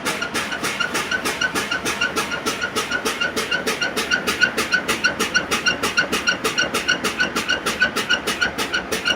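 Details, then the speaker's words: Bus pre-trip air brake test in Gwinnett, GA: rapid steady air pulses as brakes are fanned down; low-air warning sounds, parking brakes pop out at 42 psi, then pressure should rebuild within 45 seconds. "so once that pops out you just start the bus ups and you tell them the pressure should build in 45 seconds"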